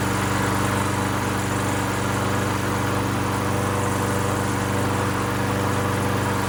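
Steady, even putter at constant speed with a smooth low thrum and no knocks or misses; the mower runs healthy.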